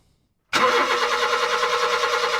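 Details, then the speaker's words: 2005 Honda Jazz cranking after the crankshaft sensor plug was disconnected and reconnected. The starter spins evenly but the engine won't catch, with fault code 04-05 (P0339) for an intermittent crankshaft position sensor circuit. It starts on a later attempt. "oh there still no start wait so with my disconnec it you see it's thrown another fa code a 0 04-01 crankshaft sensor circuit malfunction"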